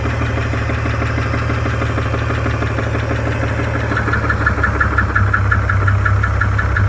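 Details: 2002 BMW E46 330i M54 straight-six idling: steady heavy knock about three a second growing louder, after ticking began; seems to come from the rear between transmission and engine, source not found.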